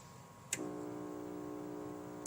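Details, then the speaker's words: Commodore 64 (unit three) switched on with no video output: a switch click, then a steady, loud low buzz holding nearly two seconds until the next click; warming up doesn't help, electrical fault, cause unknown. "no video out making a a really loud buzzing noise so that'll give me something to look"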